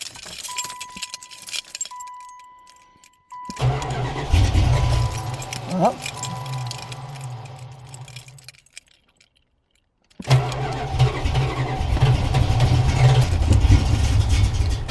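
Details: 1987 Chrysler Fifth Avenue, stored in a pole barn and not run for about 6 months, January cold start with choke on after a couple of pedal pumps: chime, pause, then it catches cleanly and settles into a steady, even run. Normal cold start.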